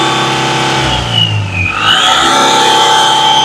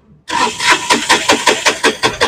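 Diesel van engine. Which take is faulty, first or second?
second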